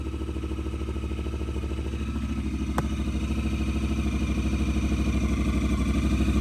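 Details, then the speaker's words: 2018 Honda Pioneer 1000-5 after Hess Motorsports aluminum motor mount install (original driver's side mount bolts missing, holes stripped): steady even note rising slightly in pitch, regular pulse, no banging or thumps, motor no longer jumps; normal revving. "Now that was a fix. Before, I could do that and the whole motor would jump up as I revved it."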